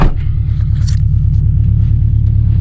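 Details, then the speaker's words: 2015 Subaru WRX STI at steady idle, quick regular light clicking on each firing pulse; apparently forged pistons with large piston-to-wall clearance causing piston slap. "Do you hear that? Click, click, click, click, click. So it seems as if the car got quite decent forged pistons. So you hear the piston clap quite well."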